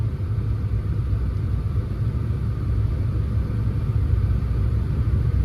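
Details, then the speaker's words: Saturn car still misfiring after repairs, idling before a test drive: deep rumbling idle with an irregular stumble; scan tool live data shows current misfires on cylinder 1 and misfire history on cylinder 3. "Cylinder 1 is misfiring and cylinder 3 is still misfiring history. That's really interesting. Look at that. Look how many times it's misfiring on cylinder 1 now."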